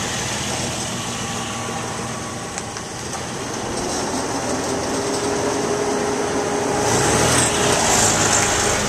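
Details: 2001 Suzuki XL7 engine ticking over with a light, regular creak about three times a second above the hum. It is worse when warmer and occurs at very low throttle, even in park or neutral. Source not identified.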